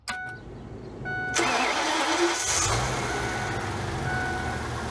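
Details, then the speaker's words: 2006 Ford E450 with a 6.8L Triton V10, severely overheated with blown head gaskets, after a coolant flush and Blue Devil head gasket sealer. Short crank, clean catch and steady idle; it no longer hydrolocks on cylinder 7 while cranking. "before when you would go to starter she would hydrolock a little bit on cylinder number seven while you're were cranking it and now I'm not getting any of that he's firing right up"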